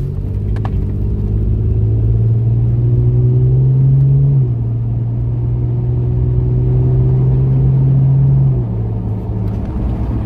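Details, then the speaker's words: Toyota Tacoma test drive after replacing corroded brake caliper slide pins, anti-rattle springs and clips: smooth road rumble with no metallic rattle; the brakes sound quiet and the repair appears to have fixed it. "far so good I don't hear the rattling hopefully that solve the problem well it seems like that solved the problem I think getting these new pins in there and Springs of eliminated the rattling noise that we had"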